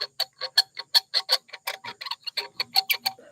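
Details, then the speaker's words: Colson bicycle fork assembly: string of sharp, creaky chirps, about three a second, as the bolt turns; dry threads squeaking, need grease. "when you hear this sound and you're working on bikes you gotta stop and grease things and check threads and stuff like that that sound that dry sound"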